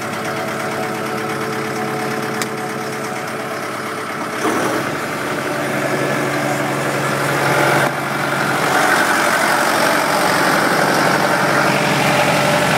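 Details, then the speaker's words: Kubota M100X tractor diesel at idle during a pre-trip check before a blizzard, Dec 30 2012: steady, even beat that firms up slightly partway through, with no odd noises. The engine sounds good. "Sounds good."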